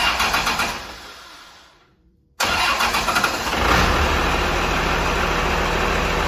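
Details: First start of a P-pump Cummins inline-six diesel swapped into a Squarebody Suburban after wiring and fuel bleeding, no lift pump: cranking catches and settles into a steady, even diesel idle with a firm regular beat and no knocks; runs healthy.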